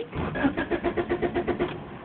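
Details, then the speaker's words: 1991 Honda Accord with replacement used engine and new alternator, stalled while driving: starter cranks evenly about seven beats a second but never fires; crank no start, owner suspects distributor or battery. "see I'm turning the key pressing the gas doesn't turn on I don't know what's wrong with my car"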